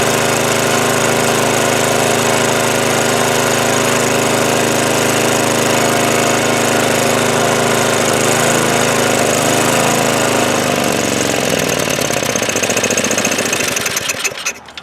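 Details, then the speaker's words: Snow blower small engine that wouldn't start after sitting with old fuel, after cleaning the carburettor bowl, main jet and bowl nut, started on choke at full throttle: a steady buzzing drone holding speed; normal running. "baby we're back in business and that's really all there is to it we simply cleaned out the carburetor Bowl in the main jet the bow nut put it back up and she wants to run again"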